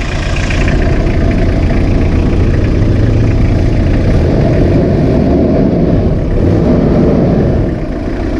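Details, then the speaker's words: 1991 Toyota LiteAce 4x4 Limited right-hand-drive diesel, started after warming the glow plugs: fires right up and settles into an even, steady clatter with no misses or knocks; normal healthy idle. "there you go let the glow plugs uh warm up there we go [Music] wow right up she sounds good"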